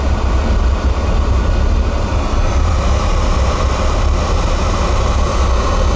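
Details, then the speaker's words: Carlin oil burner blowing black soot: heavy constant low rumble with no clean roar; flame rumbling, not breathing right, burner motor suspected not spinning properly. "it's got to be the motor not losing that power here it's not breathing right"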